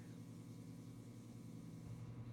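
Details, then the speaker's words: Coleman forced-air heater after its pressure switch was replaced: steady low hum with a faint rhythmic pulse, no fan or burner coming up, then shuts off; owner suspects the switch wires need a certain position. "t working at I turned on the heater you can hear it like humming and then it'll just shut off see there it goes"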